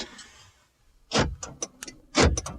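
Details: 2002 Chevy Silverado Duramax, checking newly programmed replacement key fobs: two sharp mechanical clunks about a second apart, each with a quick rattle after, as the power door locks snap over cleanly and normally.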